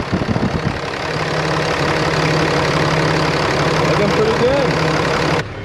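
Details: 2013 Ram 2500 6.7L Cummins diesel after replacing the failed turbo (bad VGT actuator) with a BD Screamer HE300VG turbo and new exhaust manifold: cranks, catches quickly, settles into steady idle, no hiss, whistle, rattle or leaks, no boost yet; normal.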